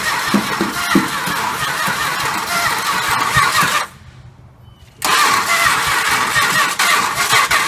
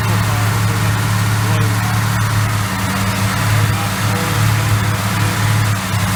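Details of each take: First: 1968 Chrysler 300 440 V8 sitting a long time, first start attempt after plug work and gas: cranks and catches, then cuts out abruptly before firing again; dies on releasing key, ballast resistor suspected, bypass to be tried. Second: 1968 Chrysler 300 440 V8, first start after sitting a long time, after oil change and freeing oil pump check valve: runs on its own at low, slightly uneven idle with deep rumble; rough idle.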